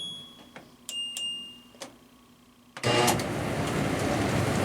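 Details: LG Tromm front-load dryer after drum roller replacement, which cured loud banging/clunking: a few control beeps, then steady even whoosh of drum turning with no thumping; normal drum running.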